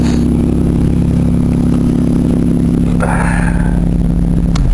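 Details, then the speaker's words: 1998 Buick Park Avenue with about 223,695 miles, just started: steady low drone settling back with a rough raspy blat underneath; large exhaust leak, a big hole in the exhaust. "runs halfway is decent but it's got one heck of a exhaust leak"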